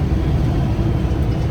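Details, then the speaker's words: Kenworth diesel truck at about 60°F ambient: a constant heavy fan roar under the diesel drone that never eases, because the fan clutch is stuck engaged. The engine temperature stays far too low, and the owner suspects an air leak around the fan clutch. "the fan clutch has been on the whole time. My temperature is way below because it doesn't shut off."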